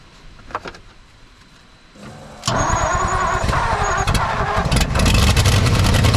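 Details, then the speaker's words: 1959 Ford F-600, 292 Y-block, long-dormant, electric fuel pump hooked up, starter weak: engine catches and runs unevenly with a ragged, lumpy beat, never settling; rough running, huge fuel leak, carburetor accelerator pump shot. "okay it runs not great it's got a huge fuel leak but we can work with this"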